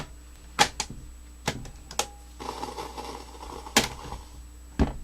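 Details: Panasonic RX-F33 double cassette radio, playing a tape after flipping it: irregular sharp clacks and a brief burst of rattling from the tape mechanism; cause unclear.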